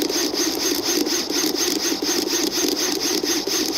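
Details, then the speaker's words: Metabo drill in impulse mode: motor whirr pulses on and off about three times a second, steady and regular, running and stopping automatically as designed. "근데 메타는 또 다른 기능이 있죠 임펄스 기능입니다 돌아갔다 멈췄다 돌아갔다 멈췄다 사람이 일일이 컨트롤하지 않아도 그런 메커니즘을 보여주는데요"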